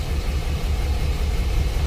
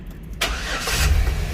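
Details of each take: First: 2006 Chevy Express, P0300 random misfire code: low, lumpy V6 idle with irregular stumble; scanner shows cylinders one and two misfiring equally; arcing distributor cap. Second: 2006 Chevy Express after diagnosing a P0300 random cylinder ignition misfire, after the repair: a short crank, then the engine catches cleanly and settles into a steady idle without stumbling. It is a normal start with no misfire.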